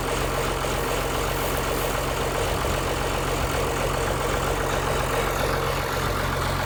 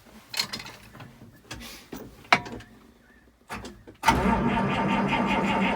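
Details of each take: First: 1955 White (rebadged Oliver 1955) diesel tractor idling after jump-start from a Land Cruiser ute, which cured slow cranking from poor connections: steady low even chug, no misses; running healthy. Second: 1955 White (rebadged Oliver 1955) diesel tractor cranked on the key after extra glow: a few clunks, then laboured sluggish starter churn that never catches; owner thinks the starter is too slow and plans to jump it from a ute.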